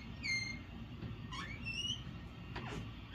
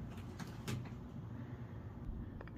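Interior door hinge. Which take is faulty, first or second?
first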